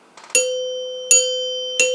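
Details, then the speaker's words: 1930s NuTone Time-Chime 2-note base being reassembled, after the acorn nuts on the tone bars were backed off, washers still fitted: three clean strikes, each ringing with a clear, steady tone that fades evenly. It sounds much better. "that's much better so let's try it without the washers"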